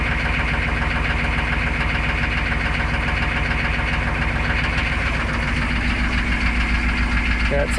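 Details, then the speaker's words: UPS truck diesel after fuel injection pump module (PMD) replaced and relocated, fuel system primed, glow plugs warmed: even clatter at steady idle, about four beats a second, no stumbles or hunting; normal idle. "up you can just tell that fuel pump priming that fuel system priming sounds a lot better when it's running it sounds a lot better as well"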